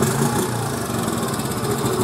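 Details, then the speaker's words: 1986 Honda TRX 70 air-cooled single after a top-end rebuild, head bolts torqued to 9 ft-lb. It buzzes along at a steady, even, quiet idle with no misses, no smoke and good throttle response; it sounds healthy. "s nice and quiet listen to it guys sounds really good"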